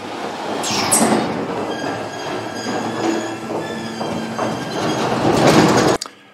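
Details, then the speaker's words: Slim Glide ET30 roller door operator after raising the safety reverse force setting to stop beeping and stalling on the way up: continuous rolling rattle with motor hum running smoothly to a clean stop; door no longer jamming. "it's not jamming"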